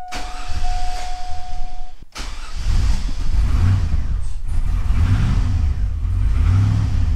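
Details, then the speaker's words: 2000 Chevy Tahoe 5.3L V8 with misfires on cylinders 7 and 8, just after coolant temp sensor replaced and PCM reconnected: cold start with slight knock, lumpy uneven idle that hunts and dies off throttle; misfiring. "we'll see if it'll find its idle now we did have everything unhooked and we unhooked the PCM so yeah it doesn't want to idle if I take my foot off the accelerator it dies a little bit of a misfire there"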